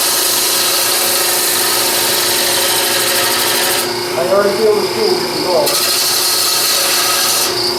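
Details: Bowl gouge on a lathe cutting dense edge-grain plywood at a slope across the glue layers; harsh continuous rasping scrape with a hissy edge, the tool takes heavy pushing and should be sharpened before further cuts.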